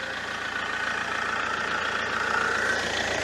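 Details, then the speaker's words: Fiat Multipla after sump swap for an oil leak, idling: even, steady idle with smooth rhythm, no knocking or ticking standing out; running fine, owner thinks it isn't leaking. "slightly listen to that beautiful engine the sweet symphony hopefully that is the start of improvement works on this vehicle"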